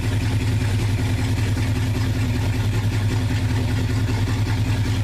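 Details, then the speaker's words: 1969 Dodge Dart V8 idling warm, thermostat open, lifters quieted down, still smoky, points possibly burning; deep steady burble with even beat, no knocks or misses; normal idle. "Well, the lifters have quieted down. That's good. The thermostat open."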